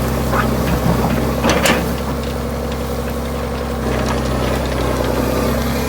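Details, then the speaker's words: Vintage 1980s all-mechanical John Deere 790 excavator (48,000 lb), recently bought, working its functions and spinning around while not even idled up: deep, even diesel rumble, no knocks or misses; healthy, strong-running engine. "sounds great oh man you can't touch a machine like [Music] this it's not even idled up"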